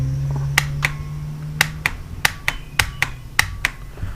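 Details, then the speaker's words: Outboard starter solenoid from a Force 120 hp motor on a bench test: sharp, crisp single clicks each time power is applied, about nine in four seconds, no buzz or chatter; it works now after not working a moment earlier. "It wasn't working a second ago. I thought it was weird that we had, but you hear it clicking now."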